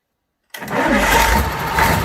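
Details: Fordson Major tractor with Perkins V8 diesel, first start after a long time, after bleeding the injectors, no coolant fitted: silence, then it catches at once and settles into a steady, even run with no misses or knocks; normal start and idle.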